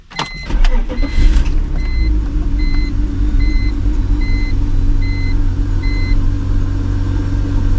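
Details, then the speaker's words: BMW project car started with the secondary air system vacuum hose in question: low, even idle under a door chime, running much better than before. Normal idle. "but it seems like it's running a lot better definitely does seem like it's running a lot better"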